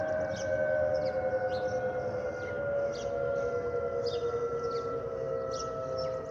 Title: Delta Airlines Airbus A320-211 N323US DL2559 PWM-DTW (FOPP whistling sound)